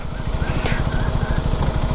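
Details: KTM Duke 390 single at idle: rough, uneven low thumping pulses with a clattery edge; the engine noise is very bad, cause not identified.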